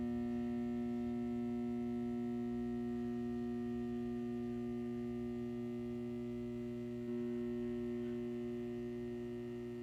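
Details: Satco 150W high-pressure sodium ED17 bulb, made April 2013 and 6.5 years old, runs on an S55 magnetic ballast. A steady, loud electrical hum with several fixed buzzing tones never changes while the cycling lamp runs; the ballast hums loudly.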